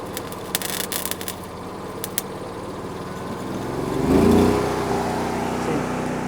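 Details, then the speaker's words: Hobart Champion Elite 225 welder-generator at low idle with sputtering arc crackles; the arc cuts out before the engine is slow to rise to high idle, and the idle solenoid is to be replaced. "So, the arc cut out right there while I was trying to keep the the rod lit."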